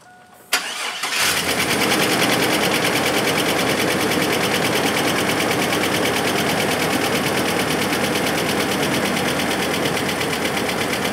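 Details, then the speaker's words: Chevy S10 engine cranks, catches and idles with a fast, steady metallic ticking that has worsened over time. The owner first thought it was an exhaust leak but doubts it; a motor flush is planned. "At first, it was just a little bit of a tick. I thought it was an exhaust leak, but I really don't think that's what it is."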